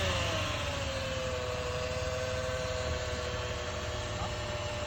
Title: 2010 RX350 transmission making whining sound when accelerating. Any idea why this is happening?